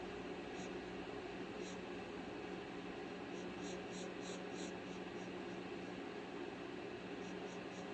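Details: XFX AMD Radeon RX 6700 XT graphics card: quiet steady low hum with faint hiss and short high chirps in bursts. Unexplained noise from the card, cause unclear.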